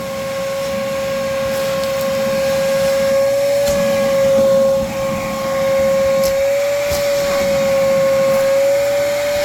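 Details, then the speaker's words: RIDGID 6 gallon NXT wet/dry vac just switched on for car interior cleaning: steady, even motor roar with smooth high tone holding pitch; running normally with good suction, picking up larger debris. "Let me turn it on. It has been turned on."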